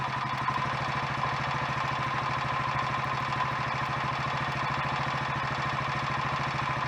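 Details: Royal Enfield Electra X single-cylinder at cold first start after a rebuild with a new big end, conrod and piston: steady idle with a light mechanical clatter on each beat; timing gear backlash is suspected, not confirmed.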